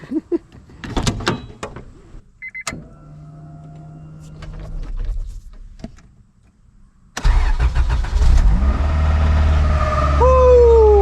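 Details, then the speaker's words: 1998 Acura Integra petrol engine started after timing belt work: steady whine over the idle from the timing belt area; owner suspects the timing belt was overtightened and plans to loosen the tensioner. "ho sentito un ronzio provenire dall'area della cinghia di distribuzione Così potrei aver stretto troppo la cinghia di distribuzione quindi ora devo allentarla un po'"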